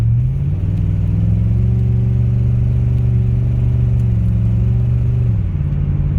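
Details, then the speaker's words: Imola, just brought from not running to road-worthy with an added exhaust, cam position sensor, spark plugs and valve cover gaskets, driving with windows down: a deep, rough rumble that swells as revs climb and quiets off the gas; an exhaust leak. "That drone is horrible. Oh, not the drone, but the exhaust leak. Get a little bit of windows down noise with that horrible exhaust leak."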